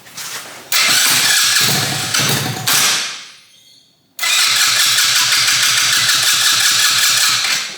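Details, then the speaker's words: 125cc fuel-injected turbo go kart, start attempt after fixing ignition trigger offset, fuel pump priming: starter whirs with even compression pulses about five a second, stops, cranks again, never catches; cranks but won't start, timing then checked. "so we turn it on fuel pump's priming and it should theoretically start damn it you're running so well before"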